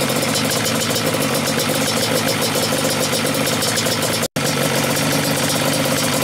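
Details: Yamaha Banshee two-stroke twin, stock carbs synced, both air screws closed all the way in. Uneven, burbling idle beat lacking crispness: very rich idle mixture.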